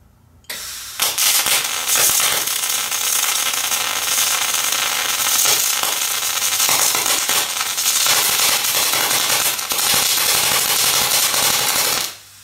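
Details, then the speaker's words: MIG welder, voltage lowered to 27 volts, same wire feed: hissing spray-transfer arc breaks into irregular crackle and sputter, dropping into short circuiting; unstable spray transfer from too-low voltage. "so I don't know if you could hear that it started out and spray transfer and then it was like it short circuiting a little bit"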